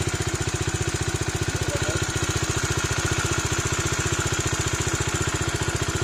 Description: Dominar 2019 UG - Engine knocking issue resolved after changing the Camshaft and Rocker arm.